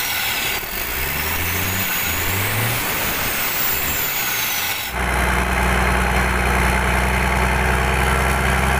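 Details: Mitsubishi Fuso 6D22 truck diesel test-run after rebuild/service, before installation into the chassis. Deep, even rumble at idle, revving up and settling back with no knocks or misses; engine sounds healthy.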